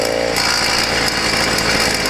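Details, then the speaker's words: YD100 two-stroke with newly ramped piston and one gasket (squish possibly too tight), first test ride: high-revving buzz with harsh metallic rattle in top end, only after heating up; loose metal fragment chattering up top. "something is not happy inside the motor that's not the exhaust"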